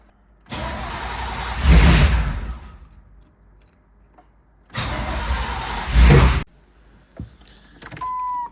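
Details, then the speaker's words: 1989 Chevy Camaro IROC-Z, 305 TPI LB9 V8, long-sitting non-running project car, running on sprayed starting fluid; two short cranking bursts that catch and roar briefly, then die with a pop back through the intake; backfire that started a fire. "hell bro backfired over the garage dude"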